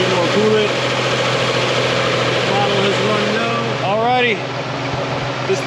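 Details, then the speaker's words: 2000 Nissan Frontier 3.3 4x4 after crankshaft leak and transmission work, run about 30-40 minutes with transmission fluid, oil, coolant and power steering topped off and bled: smooth even idle, power steering pump noise gone. Normal idle. "I've got the transmission fluid topped off engine oil is full coolant level has stabilized power steering is full and stabilized no more bubbles the power steering pump noise is gone"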